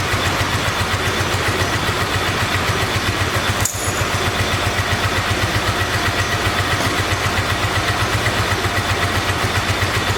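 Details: 1986 Honda VT500 Shadow V-twin, revived after years sitting, idling while warming up: lumpy uneven idle with hollow loping beat; rear cylinder still not firing, owner suspects ignition coil or mice-eaten coil wire, checking spark.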